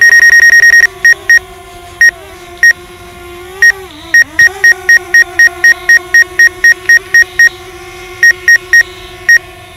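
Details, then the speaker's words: DJI Mavic Air on first flight, flying toward obstacles: sharp high beeps in fast bursts, about four a second, over steady motor hum; repeated obstacle proximity warning, drone steers around the object. "that hover is solid that's a brand new that sit beside you know that beep and a man it's like hey get out of the way dude I'm about to hit you"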